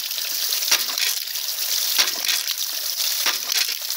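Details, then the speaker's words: Homemade ram pump with spatula-spring waste valve, more weight on the valve: slow, even clacks about one every 1.3 seconds over rushing water, normal slowed cycling. "you can see how it slows down when that weight is put more on the valve [Music] you hear how slow that is"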